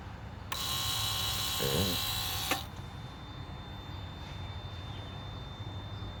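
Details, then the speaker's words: 1999 Lexus GS 300 after brake booster master cylinder assembly replacement for a cabin buzz and no-brakes fault. Pump programming at key on after 40 brake pumps. A steady high pump buzz runs about two seconds, then shuts off cleanly. The booster pump is cycling normally. "I don't want it to run dry as it pumps. Now they said the fluid level should come back up a little bit, but I'm gonna bleed the brakes."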